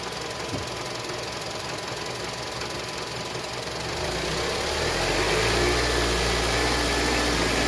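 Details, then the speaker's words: 2007 Honda CR-V that stalls after about 3 minutes, with a rattle from underneath, revved toward 2,000 rpm: revs climb slowly and sound strained and flat. MAP reading rises, pointing to exhaust backpressure from a clogged catalytic converter. "so the map sensor is going up high when uh you rev the engine and maintaining a 2,000 RPM if map sensor goes up what happens is the exhaust exhaust pressure it goes back up into the intake into the combustion Chambers and it dilutes the air fu"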